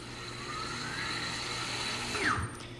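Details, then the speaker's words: Tesla Large Drive Unit after swapping in an aftermarket ZeroEV control board, put in drive with throttle applied: smooth electric whine climbing in pitch, no grinding or clunks; motor spins up normally, though it turned backwards. "we shall put it in drive and hit the gas trusty gas pedal and there it is"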